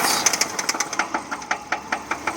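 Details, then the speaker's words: 2009 Subaru Forester 2.5L SOHC PZEV automatic, 101k miles, warm at low rpm: sharp, irregular popcorn-like knocking about five a second, quiet when cold, smoothing at higher rpm; cause unknown, timing belt, water pump, tensioner and pulleys recently replaced. "and it has difficulties at lower rpm but other than that the car can drive normally it just sounds like a bit of a popcorn machine maker"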